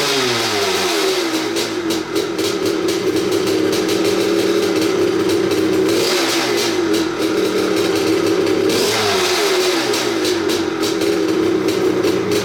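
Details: 1986 Maico 500 two-stroke dirt bike after 2.5 years sitting, fresh non-ethanol 92, no carb clean: crackly high-pitched rattle blips up and settles to steady idle; starts and runs cleanly.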